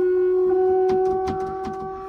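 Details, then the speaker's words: Mahindra Roxor in very cold weather, key on before starting: loud steady electric hum with a few clicks, fading toward the end; fuel pump straining in the extreme cold. "The fuel pump is having a hard time. It's loud. You can hear it."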